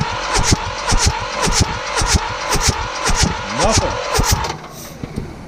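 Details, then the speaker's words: Mitsubishi D1800 tractor, KE95 diesel with ND injection pump, cold March day, cranking on full fuel without glow: slow even cranking, never fires; fuel reaches pump and bled, but nothing from injectors after pump moved closer to block for timing. "all right so we cranked it and we don't have any uh nothing coming out we got some fuel coming into the pump down here it seemed to bleed okay but we've got nothing coming out of the uh injectors"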